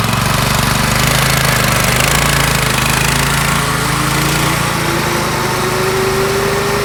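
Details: Yerf Dog go-kart with a Predator 212 engine and stage 1 kit, replacing the stock Tecumseh, gearing unchanged, accelerating: steady buzzing drone climbing smoothly in pitch with speed; quieter, smoother, better acceleration, healthy under load.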